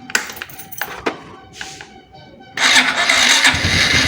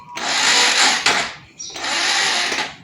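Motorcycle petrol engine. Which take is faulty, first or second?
second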